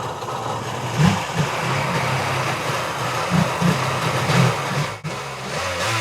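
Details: Kawasaki 1100 STX jet ski two-stroke after carb ultrasonic cleaning, new fuel lines, dry-rotted oil injection lines blocked off and switched to premix fuel: buzz catches and keeps running with throttle blips, steady crackle between; normal healthy running.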